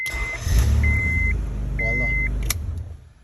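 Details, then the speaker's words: 1996 Honda Accord V6 with ignition-on no-start, after a separate wire and switch was run to the starter: chime beeps, starter cranks briefly and the engine catches and settles into a steady run. "press here start right up on again"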